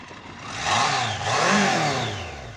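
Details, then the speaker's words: BMW K100 motorcycle after a 7-month rebuild, cold (about 38°F, snowing), running on choke: revs surge and fall back unevenly without settling; owner doubts head gasket, suspects sticking rings that may take a while to free up; rough idle. "It could be head gasket, but I don't think so. Those rings might be sticking. They might take a while to wake up."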